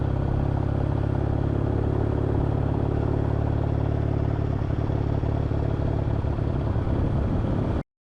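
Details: Kawasaki W650 motorcycle twin idling after fixing a rattle heard when riding around 40–60 km/h: steady, deep low thump with no rattle on top.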